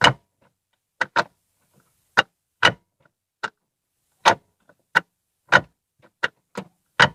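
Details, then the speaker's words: Ford Fiesta Zetec Rocam manual gearbox, mic beside the transmission, gearbox oil near correct level: sharp metal-on-metal clacks in quick pairs and singles as gears engage, especially second; suspected loose or worn shifter linkage. "quando engatar as marchas fazer um barulho estranho quando eu ainda tava todas as marcas principalmente a segunda andou engatar a segunda fazer um bar do concurso de crack crack como fosse ferro com ferro uma coisa estranha"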